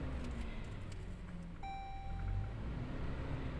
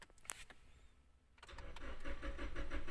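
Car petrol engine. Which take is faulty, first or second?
second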